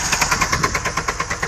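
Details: Opel car engine running rough with an uneven, choppy beat of about ten pulses a second instead of a smooth hum, misfiring with smoke and steam; owner suspects wrong fuel put in. Cause not confirmed.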